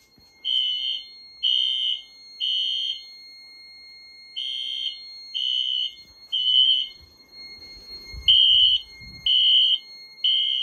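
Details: 2000s Wheelock AS/NS horns on a Fire-Lite MS-9200UDLS addressable panel, during a system test. Sharp high blasts in groups of three, about one per second, then a pause and repeat. Temporal-3 evacuation pattern.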